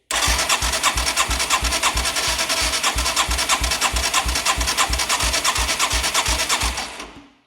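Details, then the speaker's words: 1989 Yamaha Moto4 200cc quad after new timing chain: strong, even cranking pulses about three per second with solid exhaust chuff; compression now about 130 psi versus 50 before, healthy. "Actually hear exhaust this time. That's a good sign."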